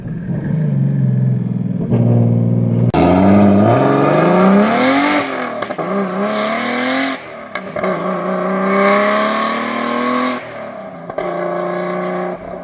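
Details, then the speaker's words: BMW E81 drift car with a rebuilt M50 engine on forged AMP44 pistons and new hydraulic lifters, revving: light quick ticking from the rear of the cylinder head, valvetrain suspected. Camshaft or cam trays possibly to be replaced, and the noise may be worsening. "The noise is very clearly coming from somewhere at the rear end of the cylinder head. You can distinctly hear that ticking from the valve drain."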